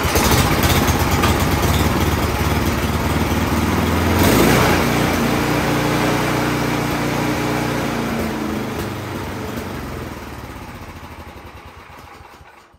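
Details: Troy-Bilt Storm 10030 snowblower, warm, run after starting fluid following a no-start blamed on summer-old bad gas clogging the carburetor: small single-cylinder engine chugs at a quick, even beat, running on its own before fading.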